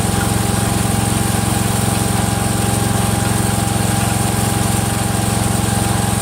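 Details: Freshly rebuilt Kohler single-cylinder engine in a Cub Cadet 102, steady idle with a regular click about four times a second in time with the engine; the front pulley is coming apart, not a loose rod.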